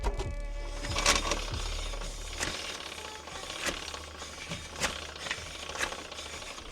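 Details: Hand-spun wheel on a modified 2007 R56 Mini Cooper S (300+ hp) gives sharp, irregular clicks about once a second that space out as it coasts down; axle boot coming off, vibration back, worn CV axle joint suspected rather than wheel bearing.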